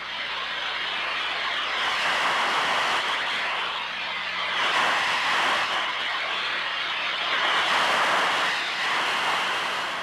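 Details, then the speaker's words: Ultrasonic leak detection with Ultraprobe 2000 rubber probe at reduced sensitivity: steady rushing hiss swelling and fading as the probe sweeps back and forth, peaking at one spot, confirming a pressurized gas leak site. "the leak has been located confirm the site by moving the probe back and forth in all directions"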